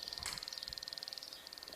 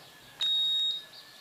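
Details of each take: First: Electrolux Turbo Economia 8 kg washing machine that won't respond: touching a control-board connector makes a fast cricket-like crackle while LEDs blink; owner suspects the connector and is about to remove and clean it; intermittent electrical arcing at a contaminated connector. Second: Electrolux Turbo Economia 8 kg washer that would not power on, after its control board was refitted: one clean, high half-second beep and LED blink on plugging in, showing it powers up normally.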